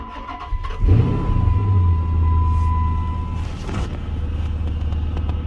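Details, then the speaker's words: 2006 Chrysler 300 SRT8, 71,000 miles, sat a long time, first start after intake manifold gasket replacement and fuel pump priming: brief crank, then the V8 fires at once into a deep steady rumble, no hesitation; clean start. "Wow, would you look at that? Fired right up, man. No weird hesitation or nothing."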